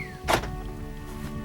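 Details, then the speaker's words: One crisp, solid thunk as the lock throws fully, no buzzing or chattering, on a 2005-2006 Ford Expedition after fitting a new door lock actuator; it works properly. "okay we got the door actuator in and it's working so we're going to lock"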